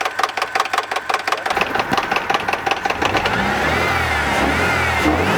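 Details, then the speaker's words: 2.0-liter engine at idle: sharp clacking about 160 per minute that disappears when revved, so owner rules out rod knock and suspects the timing belt tensioner, possibly from oil pressure loss due to excess sealant; unconfirmed. "And the noise actually goes away when you rev it up, so I don't think it's rod knock, or I don't think it's anything mechanical other than the timing belt tensioner."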